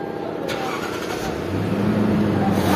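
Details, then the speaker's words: Toyota Land Cruiser, towed in with no crank, no start and no dash lights; push button and brake switch already swapped without effect. After the connector repair, brief cranking, then the engine catches and rises smoothly into a steady run; normal start. "गाड़ी आप देख रहे हैं start हो गई।"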